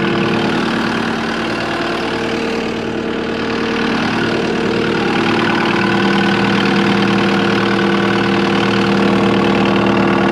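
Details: Cat 259D skid steer diesel after 1500-hour service with new oil, filters and fuel pump, started to check for leaks: steady even idle, smooth low drone, no knocks or misses; normal idle.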